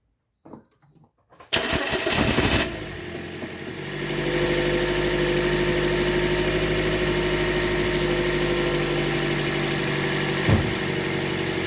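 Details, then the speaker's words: 2010 Toyota Corolla 1.8 L with drive belt removed so only the engine runs, aftermarket lightweight crank pulley: cranks, catches and settles into a smooth idle with no clatter; the clattering noise was traced to the AC compressor. Normal idle. "so you can see here it's only the engine that's running alone uh away from the accessories there are no accessories right now that are running on this"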